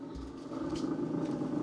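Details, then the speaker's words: Refrigerator running with a steady low hum and a fast fluttering "helicopter" rattle from the freezer section; suspected ice build-up around the freezer fan, not confirmed. "sounds like a helicopter or a rattle you should have been able to hear that but anyways it's rattling up making some noise some people call it a helicopter noise"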